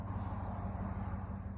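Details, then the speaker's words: 2002 Chevy Silverado 1500 extended cab short bed V8 idling right after a fuel pump replacement done through a hole cut in the bed. It fires right up with a quiet, even, steady idle, no leaks and no codes. Earlier it had a P0300 multiple-misfire code, with misses felt when cold. "All right, let's try it out. Fired right up nicely. No leaks."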